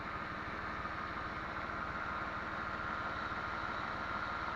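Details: 1998 Dodge Intrepid idling cold after reconnecting the fan connector: steady, even idle with smooth regular pulse and no cooling-fan roar, fans previously ran constantly; normal idle.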